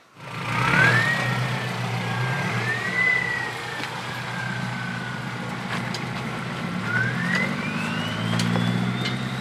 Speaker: So you can hear the engine brakes working, and it doesn't look steep on camera, but that is no brakes. That's just engine braking in first gear, low range.